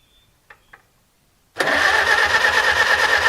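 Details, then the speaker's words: Farmall H tractor first start after cleaning the sediment bowl, valve cover not bolted down, no radiator or coolant: catches at once and settles into a steady, even idle with clean ringing tone, no knocking, oil pressure shown; normal start and idle. "well that started up amazingly fast and actually ran really good I'm surprised I figured I'd have to fight with it for a good bit"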